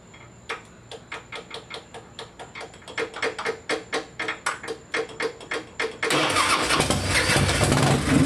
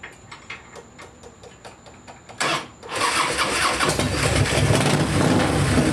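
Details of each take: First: Harley-Davidson after wire harness repair: sharp ticks about twice a second for several seconds as the sticking starter relay must be tapped, then the engine catches and roars. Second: Harley-Davidson V-twin after wire harness repair, its sticking starter relay tapped to start: clicks, then it catches and settles into a steady, lumpy idle with throttle blips; all controls work and it sounds good. Floats still sticking, gas apparently from overflow.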